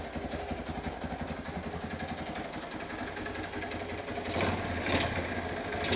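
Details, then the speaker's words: Kawasaki KLT185 three-wheeler single-cylinder engine, long-sitting, carb cleaned and gas added. Uneven, lumpy idle about two beats per second that stumbles and surges before stalling; owner suspects it ran out of fuel. "you hear it once it's trying to but I don't know what the deal is oh that's all she wrote it must have been out of fuel"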